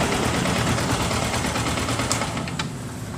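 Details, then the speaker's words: Yamaha R15 after engine rebuild for rough engine noise, blamed on worn valve stems and adjusters from too-tight valve clearance: quick, even ticking patter settling into a steady idle with no knock or rattle; healthy. "desa beres juga halus mesinnya ini"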